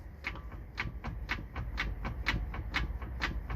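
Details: 2006 Toyota Avalon XLS, raised wheel rocked by hand: sharp regular clunks about twice a second from play in a lower control arm whose bushings are completely gone, suspected cause of repeatedly failing wheel bearings.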